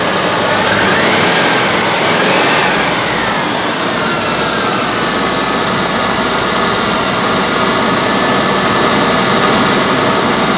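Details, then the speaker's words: 1984 Rolls-Royce Corniche after replacing injectors on one side only, warmed up and revved: steady even note rising and falling smoothly, no stumble; former hesitation and lumpiness gone. "well that's pretty good it doesn't seem to have uh the hesitation that it used to all the lumpiness"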